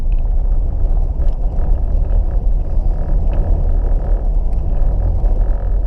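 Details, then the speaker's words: 1989 Pontiac Firebird, sitting since 2018, now running on the drive home: steady, even low rumble idling correctly at about 1,000 rpm with no misses or knocks; something, probably a belt, flapping around. "Oh, it's actually idling correct now. It's idling down at 1,000 RPMs."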